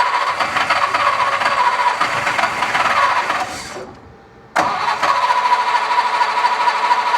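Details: Mercedes Unimog 404 at first start attempt: rough, uneven running with an irregular stumble, a brief dip almost to stalling, then catching again; engine misfire, cause not yet found.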